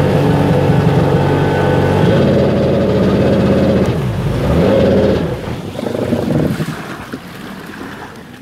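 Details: Sea-Doo XP two-stroke watercraft on the water: the engine runs rough and uneven with a misfire, because a bad voltage regulator lets the ignition have 17 volts.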